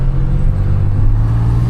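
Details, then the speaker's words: 2011 Chevrolet Impala 3.5L V6 on a low-speed test drive, heard in the cabin: deep, steady, boomy drone. Exhaust leak reported by the customer under the driver's seat; the car also has a clanking rattle over bumps. "It's an exhaust leak. Customer states there's an exhaust leak that they found under the driver's seat."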